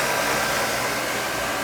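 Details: Old oil boiler burner after service with new nozzle, electrodes, motor-to-pump coupling and air band reset: steady, even blower roar with a smooth airy rush and no pulsing or rattles, running quieter than before; clean normal operation.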